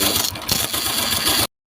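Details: Honda Wave 125 fuel-injected motorcycle idling: fast, loose metallic clatter with no steady rhythm; slack cam chain slapping, tensioner rubber roller cracked and worn, chain found very loose.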